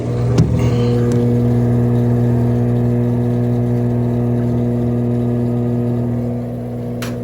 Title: 21355 - Leak in seal caused bad bearings / loudness during spin.